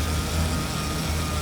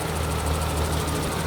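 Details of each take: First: 1991 BMW E31 850i with a rebuilt M70B54 V12, on first start after a two-year restoration: smooth, low idle on all 12 cylinders with a thin, steady whine from the power steering pump. No leaks, and the engine is not yet fully warm. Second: Restored 1991 BMW E31 850i, M70B54 V12 petrol, first start after two years: smooth, even idle firing on all 12 cylinders, with a noisy power steering pump still audible.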